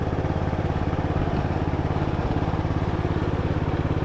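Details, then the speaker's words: Craftsman LT1000 riding mower being revived, driving in gear on its six-speed transmission: small engine runs with an even, steady thump, no misses or knocks; running really smooth, though brakes won't hold on a hill. "No, they won't hold. So we'll probably have to adjust the brakes, but it's running really smooth."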